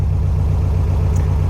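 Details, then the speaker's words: 1964 VW Karmann Ghia outlaw, air-cooled flat-four, after tie rods and disc brake conversion, out for brake and suspension test; even low steady putter at idle, regular firing, no knocks, misses or rattles, healthy. "So far I haven't hit anything, like clearance-wise, so we know that's working. Everything sounds good, it's running."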